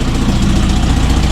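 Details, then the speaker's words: Toyota RA40 22RE, cold engine in freezing weather after wiring power to the cold start injector circuit: fires straight up, steady even low idle, no misses; exhaust leak ticking noted; normal cold idle, fix confirmed. "bloody awesome she started up straightaway um I'm pretty happy with that that was definitely the issue yeah well she's running really well considering it's freezing cold out here"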